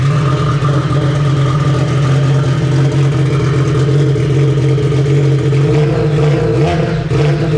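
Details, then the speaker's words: Yamaha RXP-X 300 jet ski, 2021, Stage 3 build with fuel pressure regulator, first start: strong, even drone holding steady with no misses or knocks and a slight blip near the end; runs healthy. "yo what do you think should we let him hear this thing sounds so good ready"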